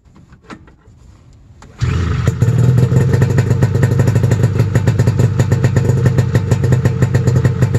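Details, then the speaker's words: Snowmobile cold-started at 28°F at 7am. Catches and settles to a steady, slightly lumpy idle just above 1500 rpm, a little rough at first; healthy cold start. "so that's good just idling just above 1500 so i'm happy about that it seemed a little rough at the beginning"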